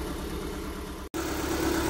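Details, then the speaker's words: Honda Civic 1.7, 2001–2006 model, misfiring on one cylinder with no check-engine light, engine still cold: lumpy uneven idle with a shaking low throb, engine jumping and vibrating heavily from a failed ignition coil. "até que o motor tá pulando o motor tá vibrando muito"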